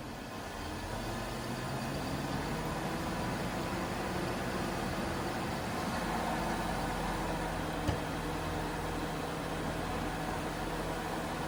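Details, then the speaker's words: 2007 Jaguar XJ8 Vanden Plas V8, 99,000 miles, started after replacing a six-year-old dead battery: it catches quickly and settles into a steady, even idle with a constant low hum and no stumbling or knocking; normal start and idle. "I think it fired up quite nicely."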